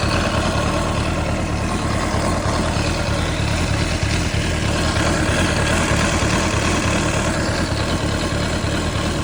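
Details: 2005 CBR600RR at idle with a loud, even whirring hiss holding steady throughout. The whir is abnormal and its source is unclear.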